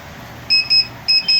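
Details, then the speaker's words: Luminous Hercules 1600 12V inverter, control card already replaced without fixing it, running on battery; high-pitched beeps in repeating pairs, two pairs in under two seconds, continuous on battery, mains and charging: continuous inverter beeping. "यह continue view sound करता है"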